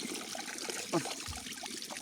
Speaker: das Rohr das war von Anfang an nicht richtig zusammengesteckt und da können sie Tüten drum wickeln, wie sie wollen. Das kriegen sie nicht dicht.